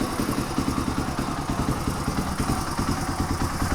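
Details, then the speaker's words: 1997 Suzuki DR350, Mikuni TM33 carb leaking fuel from overflow, before cleaning: uneven, lumpy single-cylinder idle that hunts; owner suspects dirty float needle valve raising float level and richening mixture. "I thought I heard it speed up for a minute yeah go it's just being difficult at this point but you acknowledge that it's not steady"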